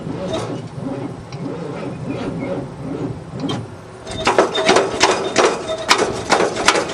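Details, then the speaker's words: Loader's first start attempt since 2001, on a jury-rigged battery with the hood off: faint slow cranking, then a heavy, uneven, dragging churn that never catches. Engine feels tight; owner suspects a battery connection or a seizing motor. "She's awful tight. Well, I think I gotta see if it's a battery connection or a seizing motor. No luck so far."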